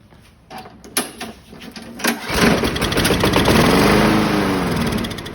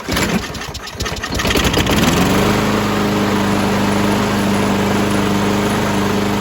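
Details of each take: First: Craftsman 917.37651 self-propelled mower, B&S 6.75 Quantum primer engine with new HIPA 01-3664 carburetor, on a cold ~30°F day: pulls and sputters, catches on sprayed carb cleaner as manual prime, revs briefly then dies; fuel present in the carb bowl. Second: Craftsman 917.37651 mower, B&S 6.75 Quantum engine with new HIPA carburetor, cold day: after tightening loose back-plate bolts so the primer works, a few pulls then fires and settles into a steady, even drone; runs properly.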